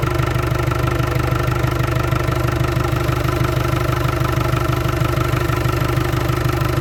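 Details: Land Rover Discovery 300Tdi diesel, first run after a donor engine swap with a mechanical injection pump, new timing belt, alternator, turbo and valve clearances set. Steady, even clatter at about three beats a second, no misses or knocks. Healthy idle.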